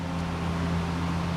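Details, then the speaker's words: Troy-Bilt tiller small engine, first run in 8 months after cleaning a stuck carb float, running without the fuel-soaked paper air filter: steady, even low hum with constant pitch and no misses or surging; runs fine. "You all hear it running without the filters in it. It runs just fine."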